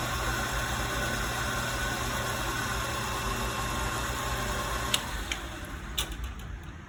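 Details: Harbor Freight 9x20 lathe running with a low, rough rumble pulsing about four times a second. The weird noise was traced to the drive belt, and a new belt restored normal noises.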